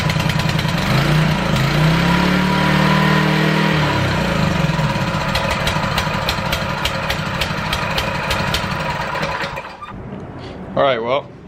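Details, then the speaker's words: ETQ high-pressure fire pump small engine, long unused, after cleaning and fresh fuel: starts on first pull, settles into an even idle of about four beats a second, then shuts off cleanly; runs properly. "starter first pulled thing runs great idles really nicely"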